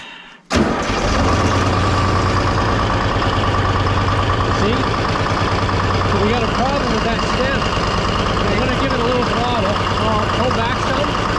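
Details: Detroit diesel car crusher running its hydraulic pump off a bucket instead of the tank: cranks, catches and settles into a steady, even idle with the pump pulling smoothly, no whine or chatter; pump fine, tank suction stem suspected blocked.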